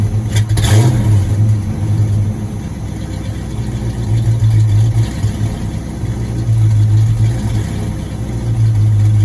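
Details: 1986 Ford Mustang GT, supposedly original-mile car (about 40–50,000 mi), sat for a while; first start: cranks, catches, then a lumpy, uneven low rumble that surges and sags; owner suspects a misfire, cause not pinned down.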